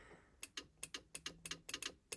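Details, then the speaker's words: 1977 Chevy Camaro horn: sharp paired relay clicks with each press of the horn button but no horn tone; relay getting power, horn itself suspected bad, before fixing. "it's clicking so I can hear the relay down there clicking which means I'm getting power"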